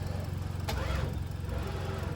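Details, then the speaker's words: Ford Mustang SN95 with throttle response and fuel problems: low, sluggish, labored cranking that never catches; failed start from a dead battery. "okay that's a dead battery give me a second guys attempt number two nope"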